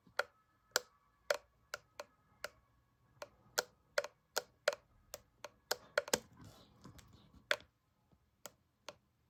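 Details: Preordered Apple MagSafe Battery Pack: sharp, isolated clicks at irregular half-second to one-second spacing in a quiet room; intermittent clicking from the pack, cause unknown.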